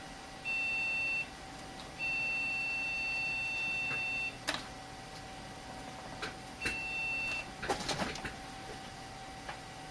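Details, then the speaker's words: Ryzen 3 2200G upgrade machine, refurbished 2014, motherboard replaced late 2017: repeating long high-pitched POST beeps with pauses, machine never posts; one RAM stick unhappy, posts after reseating that memory stick. "apparently one sticks of RAM in this thing is not happy mm-hmm not posting"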